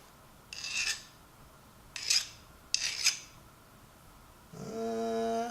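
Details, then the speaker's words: Nicholson file stroked across a ratchet mechanism gear to test hardness during a Craftsman vs Pittsburgh Pro ratchet teardown: three short gritty strokes bite and rasp instead of skating, so the file cuts easily; the steel is not hardened. "I tell you the truth, it sounds like it's cutting. It sounds like we're actually cutting. I don't believe this doesn't feel like it's really hardened."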